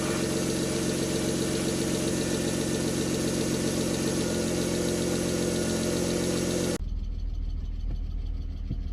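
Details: 1998 BMW E39 520i single VANOS after crank-no-start repair: steady, even idle with smooth continuous hum; no overheating, no misfires, lifter tick gone.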